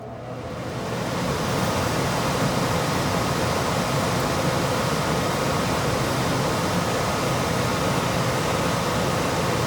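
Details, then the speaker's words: ICP Comfortmaker gas furnace, heat or cool speed: steady even rush of air with smooth motor hum, no scraping or knocking; normal blower operation. "And there was no continuous on the board, so it's either running the heat or the cool speed, not sure which."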